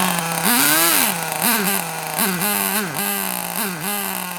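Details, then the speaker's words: Kyosho Mini Inferno nitro RC car after ticking over a few minutes, low batteries causing throttle delay: blips up and down about once a second, each rev rising and falling cleanly without stumble; running smoothly. "That sounds a bit better, doesn't it? Oh, stop though, but that sounded a lot better, that did."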